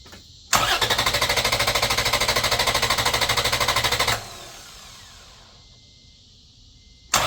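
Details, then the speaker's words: 2011 Toyota Tacoma 4.0L V6 cranked on a jump starter pack with the ECM relay pulled: strong, even cranking at about three beats a second for over three seconds that never catches; deliberately disabled, no start. "I typically pull the ECM relay out. That way it won't start. It'll just crank. So it's not going to start. It's just going to crank."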